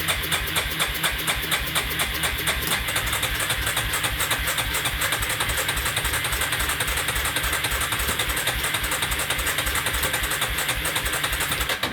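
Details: Yamaha, carbureted with accelerator pump, sat outside over two years, bad gas drained, choke stuck not moving: quick steady cranking about two beats a second that never catches; cranks but won't start.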